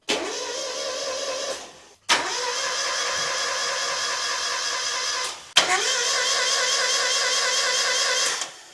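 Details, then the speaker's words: Non-running Mazda MX5 (Miata) with no error codes, in neutral with the fuel pump primed: three crank attempts, each a fast, smooth, even whirr with no compression rhythm and no firing. No compression on any cylinder suspected; timing belt suspected, not confirmed. "Well, that sounds like there's absolutely no compression."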